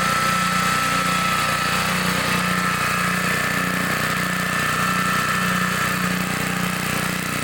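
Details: 1960s Bolens Lawn Keeper 28-inch mower, carburetor not adjusted, untouched at least 15 years: steady single-cylinder drone at even pace under mowing load, no misses, knocks or surging; runs clean.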